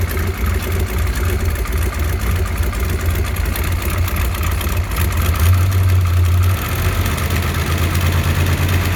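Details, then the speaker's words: 393 engine, owner suspects camshaft: deep V8 idle with fast, uneven patter on top, like a dieseling chatter from the top end; cause unidentified. Engine ticking noise. "okay YouTubers that was the sound that um I've been trying to identify and I can't put my finger on it it almost sounds like a best way I can explain it is like a dieseling sound"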